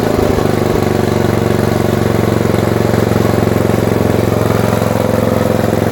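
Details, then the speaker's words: Tecumseh-engined snowblower after summer storage, oil and fuel previously drained, started on choke and prime: single-cylinder engine holds a steady, even beat under load with the auger turning smoothly; running healthy. "Auger works well."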